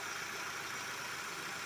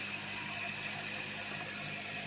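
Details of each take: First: Hyundai Sonata after replacing the belt tensioner, idler pulley not replaced: quiet, even idle with a soft smooth hiss; the earlier rattling/squeaking noise is gone. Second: Hyundai Sonata that had not been started in a while, jump-started: a tinny rattle and squeak ratchet unevenly over the idle at first, then go away. The belt tensioner and tensioner pulley were replaced.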